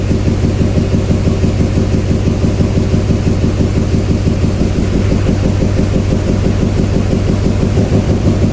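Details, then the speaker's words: 2007 Chevy Silverado 2500HD 6.6L Duramax LMM diesel idling during an injector cut-out test: steady idle with an even knock about twice a second barely changing when cylinder 7 is cut, marking cylinder 7 as weak. "It's number 7 because the 7 hardly makes any difference."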